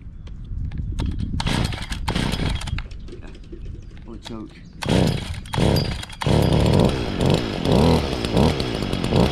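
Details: 2011 Stihl FS55R trimmer, 27.2cc two-stroke, nine years old, last run November 2019, started on choke and primer bulb; after a few sputters it catches, buzzes steadily and revs cleanly on the throttle; normal running.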